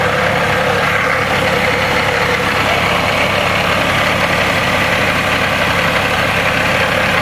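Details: Rough idle with a rapid knock of about two per second hammering through the engine noise. The owner suspects rod knock, but it is unconfirmed. Engine knock at idle.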